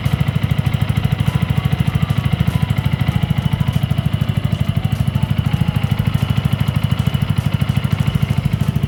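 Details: Yamaha R15 V2 single idling just after an oil and oil-filter change to Motul 5100 Ester, new oil circulating: steady, even thump with no knocks, ticks or rattles; owner hears it as smoother than before, normal idle.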